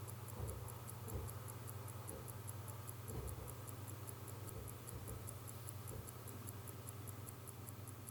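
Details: 1952 J.W. Benson watch with 15-jewel Smiths movement, pull-back case left closed: crisp, evenly spaced ticks about five a second with the hollow tick typical of the Smiths movement, faint room hum; running normally.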